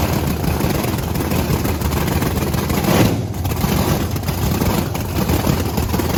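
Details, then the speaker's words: Supercharged (blower) V8 Camaro after repair, idling loud and lumpy with steady deep choppy rumble; judged sounding good, though owners consider checking pipes for a cold cylinder or slight misfire. "oh it still runs far right up sound sound really good it sounds good"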